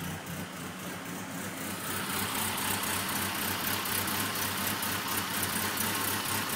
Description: Changed all the spark plugs and wires, cleaned the egr valve, it only misfires at idle, very weird anybody know what's happening?